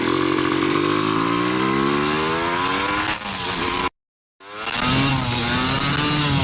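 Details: 1986 Yamaha YZ250 two-stroke dirt bike, unrun since 2015, running on choke using carb and throttle borrowed from a 1975 250B MX, reeds cleaned: crisp crackle climbing cleanly with each blip, short cut, then strong even revving; healthy.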